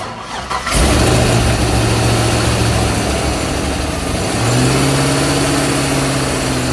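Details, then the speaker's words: C5 Corvette Z06 50th anniversary, about 50,000 miles, after replacing injectors with Siemens Deka 80s: catches after brief crank, settles into steady even low-rumble V8 idle; running normally. "So what we did was replace the injectors with a Deca 6 or Deca 80s, Siemens Deca 80s, and she's firing, she's running, and we have not figured out how she's going to run yet."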